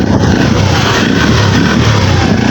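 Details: Carburetted motorcycle that previously wouldn't start and died when hot, now started with one kick: full steady note, no misses, stumbles or bogging; runs normally.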